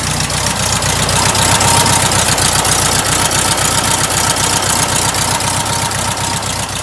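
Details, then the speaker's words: Rebuilt stock air-cooled VW H-case flat-four, once a sidewalk engine, described as a nice tight motor: steady, even idle with a quick regular beat and a raspy exhaust, no knocks or misses; normal idle. "Runs good, man. It's a good stock motor. Yeah, it sounds good."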